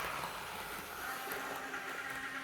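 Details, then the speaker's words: Older analogue model locomotive power car, unrun for several years, on test track: steady rushing buzz with faint thin tone throughout; runs smoothly but mechanism noisy, needs a service. "She's making a bit of noise. She needs a bit of a service."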